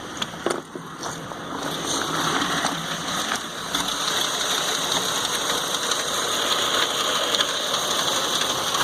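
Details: 2009 Ford F-250 Super Duty 5.4 3V with a Jasper replacement engine, hard start: a fast, uneven rattle of about four taps a second over a rough, hunting idle.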